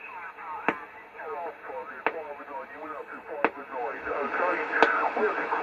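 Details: Homebrew 20-meter SSB transceiver bought on eBay, on a bench power supply with a wire antenna: warbling sideband voices drift over a steady hiss with static crashes. The receiver pulls in 20 m SSB signals cleanly.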